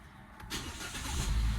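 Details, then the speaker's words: Hyundai Exter 3-cylinder petrol, first cold start after two weeks parked, 18°C outside, window open, AC off: brief crank, fires within half a second, deep note builds steadily, rpm rising to about 1600; clean, prompt, normal cold start. "देखो सुबह अपनी car को first time start करने पर RPM 1600 तक गया जो कि ज्यादा है। तो यह नॉर्मल है या टेंशन लेने की बात है?"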